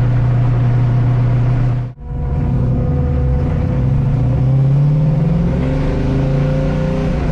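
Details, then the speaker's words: While driving, a steady low drone under the engine note rises with road speed, suggesting the manual gearbox; a previous attempted fix did not cure it, and the owner suspects the input shaft. "that didn't fix the problem still doing it as you could hear on the video"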